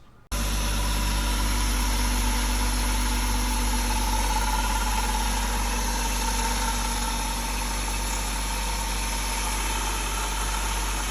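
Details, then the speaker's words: BMW E36 before repair: at idle a faint rough, grindy whirr seems to come from the front or middle of the engine. Alternator pulleys ruled out; owner suspects the water pump, which was then replaced with the thermostat. "Yeah, so as you can see, it's kind of a weird noise. Sometimes it sounds like it's coming from the middle of the engine, sometimes it's from the front."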